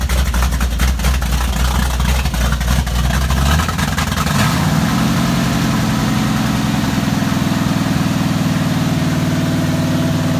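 Couple of throttle blips, then it settles into an even, steady idle with a regular firing beat; sounds healthy and smooth.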